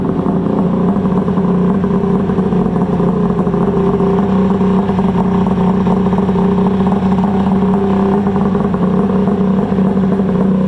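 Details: Polaris Ultra 680 triple two-stroke snowmobile ("Freebie") on its first heat runs: a steady, even buzz held at high revs with no misses or rattles; running clean and healthy.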